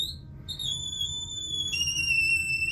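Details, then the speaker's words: Toilet tank filling: piercing, shifting whistle over rushing water from a deteriorated fill valve, occurring only while filling and within a certain water pressure range; fix is replacing the fill valve. "oh no it sounds like our toilet has swallowed the Banshee what are we going to do about this if your toilet is making strange noises the first thing to check is under the lid here and this mechanism here is the fill valve"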